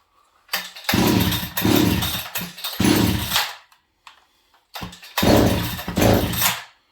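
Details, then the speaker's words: Farmertec 288XP kit chainsaw after ignition repair, horribly flooded with oil coming out; catches in ragged bursts, revs surge, die and restart, won't hold idle; flooded engine running erratically. "This thing's acting really funny. Yeah, and it's just super flooded, so I'll put the low jet in again."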